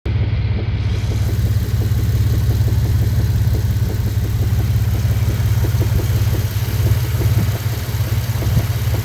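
Deep idle rumble with an uneven knock roughly three times a second underneath; a knock at idle, cause not yet pinned down. Cause suspected, not confirmed.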